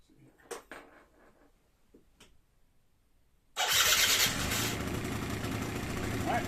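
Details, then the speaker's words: 2009 Yamaha Zuma scooter after a carburetor clean for a no-start and a new charged battery, ice cold on its first start of the day: a few handling clicks, then it fires sharply and holds a steady even idle. Normal start. "so this is ice cold hasn't been started at all today just rolled it out of the shop [Applause] can't get much easier it's running good"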